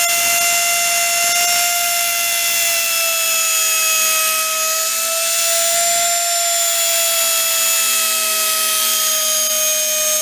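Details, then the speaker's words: Scavenged Hoover Elite carpet shampooer motor, reassembled and run unloaded without its fan: a steady, piercing high-pitched scream at near-constant pitch while the brushes smoke and throw fire; brushes possibly fitted backwards, suspected but unconfirmed. "put it run for a second been screaming it's got Fire coming out of it oh the brushes those brushes are smoking"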